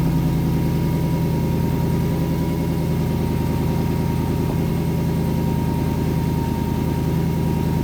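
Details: 800+ hp Jeep Wrangler after teardown and repair, cooling system still uncapped and unpressurized, heater on full to purge air: even, steady idle, smooth low drone, no knocks, misses or squeals; running normally.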